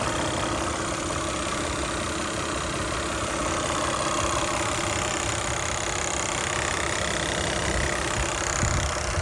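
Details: 2008 Toyota Highlander 3.5L V6 2GR-FE, warmed up at idle: loud, fast, light ticking keeping pace with the engine, only when warm; cause unknown.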